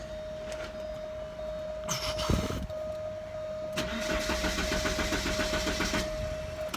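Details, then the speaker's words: 1988 Porsche 944 cranking but not starting, after a new fuel pressure regulator and a new DME temperature sensor. The starter turns the engine over in a quick, even beat of about four per second with no firing. The fuel pump is not heard running, which the owner finds worrying. "Oh won't start me unless you know weird thing about this I don't hear the pump running which worries me"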